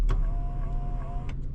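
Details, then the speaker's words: Infiniti G35 with a P0021 bank 2 VVT solenoid code: low, even idle at about 600 rpm with a steady faint tone and a few light clicks; smooth and healthy. "yeah but I wanted y'all to see that it is at idle all right and we are idling at what is that about 600 RPM so she pretty yeah she pretty smooth right now"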